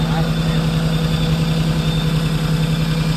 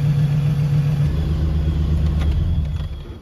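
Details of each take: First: 1979 Land Cruiser (not running like a 24) idles unevenly and lumpily, pulsing three to four times a second and shaking. The temperature sensor is suspected and was replaced afterward, with the fix doubted. Rough idle, cause undetermined. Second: Engine runs rough at startup, smelling of raw fuel in the cylinders, then cleans up and settles into a steady, even idle with no misses or knocks; the roughness happens only on startup.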